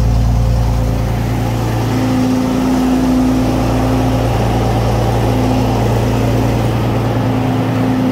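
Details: Restored Centurion tank main engine start, not on original fuel tanks, oil pressure good and climbing: steady, even fast idle with a faint whistle over the deep exhaust drone; runs healthy.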